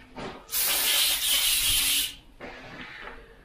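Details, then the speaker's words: Airbrush spraying thick unthinned paint at full 25 psi: loud rough hiss about a second and a half with gritty, grainy texture; paint too thick, needs thinning. "so it's a lot thicker this will spray but it's a little bit grainy on the sides and that's at full 25 psi so it is spraying this but it's a little bit grainy and you can hear that brush the air pressure and the air sounds very gritty as it's coming out when you hear it"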